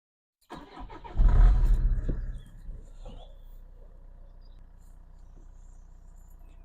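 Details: Peugeot RCZ 2.0 HDi diesel, after 12 weeks parked with a no-crank fault, now starting first turn of the key after the starter connections and fuse were checked with no parts changed: brief crank, prompt fire and flare, then a quiet, even, healthy idle.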